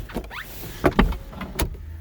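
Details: Mazda MX-5 fitted with an aftermarket automatic roll-up window controller that behaves inconsistently. On this attempt a short motor hum and soft clunks are heard as the glass travels up and seats, working normally this time.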